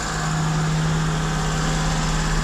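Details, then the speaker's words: Duet car after throttle body work, with a damaged seal replaced by an air-conditioner O-ring: on starting it holds a steady, elevated idle that never settles. The owner suspects it is drawing air somewhere. "всё равно высокие обороты где-то он тянет воздух"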